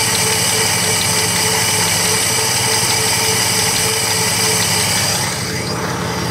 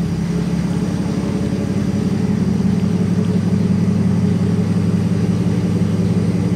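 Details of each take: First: 1957 Plymouth two-door barn find, parked 20+ years, now running well with no smoke; with the mic close to the engine, a steady idle carries a faint, quick, light tap on each turn, source unclear, possibly valvetrain. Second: 1957 Plymouth barn find parked 20+ years, fuel system primed and air bubbles cleared, mic up close: low, even, steady idle with no misses, knocks or ticks; the old six purrs smoothly.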